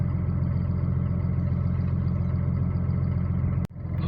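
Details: Cummins diesel at idle after rebuild with new connecting-rod small-end bushings and pins: steady even low rumble, no knocking or tapping; the earlier knock is gone, running healthy.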